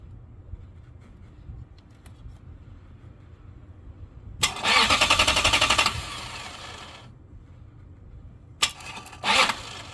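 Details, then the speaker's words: 2004 Lexus GX470: sharp starter solenoid clicks, a pause, then bursts of fast cranking; delayed start blamed on bad starter contacts or starter, diagnosed after testing battery, ground cables and relay, fixed by starter replacement. "okay so so as you can see it looks like it starts fine and then there's a delay um I do hear the solenoid clicking so power is getting there"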